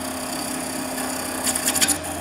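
Steady spinning hiss of a skew cut, then a short burst of scrapes and chatter as the bevel lifts off and the edge runs back.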